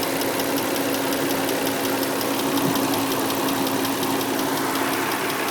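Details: 2003 Nissan Murano with new CVT, power steering and brake fluids, Castrol semi-synthetic oil, and new air and cabin filters: a fast, even valvetrain-type tick that just started rides over a steady idle, keeping time with the engine; cause not pinned down.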